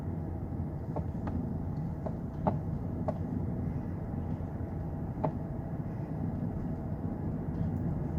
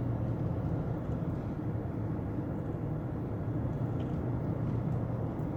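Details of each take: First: 2009 Lexus LS460 driving on unpaved, rough road; scattered sharp clunks and rattles over road rumble from driver-side front as wheels hit bumps; front shock absorber suspected failed internally, no external leak: front shock absorber rattle. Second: 2009 Lexus LS460 test drive after repairing a front underbody rattle on rough roads: only steady low road rumble, no clunks or rattles over bumps; front suspension sounds tight.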